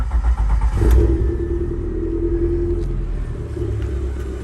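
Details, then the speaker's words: 1991 Honda Civic hatchback, D-series engine with headers and full exhaust, started after revival, smokes a little: catches and settles into low idle with slight rhythmic wobble about four pulses a second; uneven idle, cause unconfirmed. "and everything a little wobble in there old D series timing belt"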